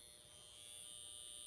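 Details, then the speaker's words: Seth Thomas Dynaire 2E electric mantel clock (December 1953): steady thin high-pitched buzz from power-interruption indicator vane vibrating in the motor's magnetic field; sound stops when off; plan to disable or tape the indicator. "the magnetic field is making it vibrate and I'll show you exactly what I'm talking about"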